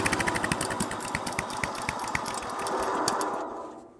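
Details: 1963 Bolens Husky 600 lawn tractor engine started on choke: uneven popping beats about three a second, firing ragged, then dying away; a sound engine catching.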